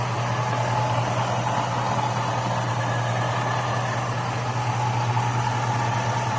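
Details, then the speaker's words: Hood open on a hot 5.3 LS V8 in a 2002 Chevy Avalanche at idle, 5W-30 synthetic oil; light quick top-end tick from stock GM hydraulic lifters, owner thinks they're getting slightly quieter as they run in. "the hotter it gets the hotter the oil gets the thinner the oil gets the more you hear them"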